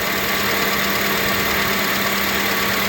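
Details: 2005 Acura TSX idling with AC on after serpentine (drive) belt replacement, which fixed a chirping noise worse with AC: steady, even idle with the compressor running and no chirp or squeak; belt drive sounds healthy.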